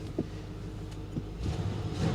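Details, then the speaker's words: Buick Roadmaster started cold in snowy weather: low, even rumble with soft exhaust puffs and no skipped beats. The engine idles smoothly, with no misfire. "no it's not misfiring no she's running smooth as silk guys"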